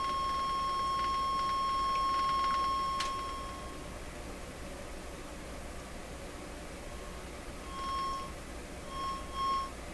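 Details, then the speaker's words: Sony TR-712 transistor radio fed a test tone: perfect sine at low volume, harsh buzzy distortion rising as volume increases, cleaner when turned down; audio distortion rising with volume, fault being localized. "so in a low volume it's a perfect sine wave and as i raise it up it gets more and more distorted"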